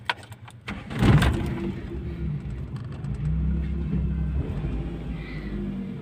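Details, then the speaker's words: Toyota Corolla 16-valve XE with manual throttle body, idle tuned for gas (CNG) but started on petrol: fast steady elevated idle around 1600–1700 rpm with no dip, high idle on petrol. "तो ये देखें इसका petrol के ऊपर RPM जो है ना वो 1600-1700 के ऊपर है।"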